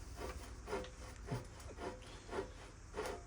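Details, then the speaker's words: Road bike restoration, headset reinstalled on old bearings after cleaning and removing locating-nub washer: dry, gritty rubbing coming and going as the bars swing, about twice a second; headset bearings badly worn and pitted, still steers; loose-ball replacement considered. "Well, it ain't pretty, but it's gonna steer. So those headset bearings were in pretty bad shape."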